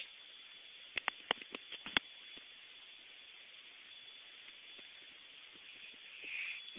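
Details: Samsung LNT3253H TV after being on over 30 minutes, muted: constant thin high hiss-whine from the back of the set with a few handling clicks; goes away when TV turned off, cause unknown.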